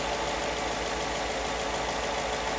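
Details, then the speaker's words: Ford F-150 V8 at 240,000 miles, true cold start after new spark plugs and air filter, settling down from high idle: a steady, even purr with barely any shake and no misses. Normal idle on all cylinders. "Legitimately purring. Barely any kind of shake to it. Still coming down from idle. From high idle. Sounds like it's running on all cylinders"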